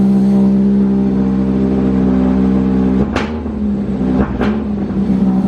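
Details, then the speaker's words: Honda Civic Wagovan, D16Z6, after fixing a dead cylinder: steady, even idle, then two quick throttle blips that rise and settle cleanly. Still a slight odd sound but much less wild; normal idle and rev. "it still has like that crazy sound to it but it's not as wild you'll see"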